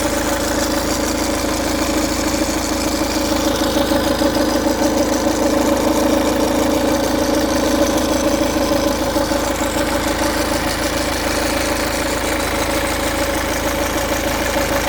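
A diesel idling with a steady, fast metallic rattle riding on the clatter: a loose timing chain. Cause suspected, not confirmed.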